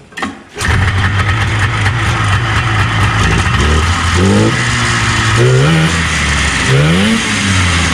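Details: 1977 Arctic Cat El Tigre 4000 440cc free-air two-stroke snowmobile, Mikuni round-slide carbs after needle clip adjustment to cure low-end bog: catches quickly, sharp throttle blips rise and fall cleanly, no bog; healthy response.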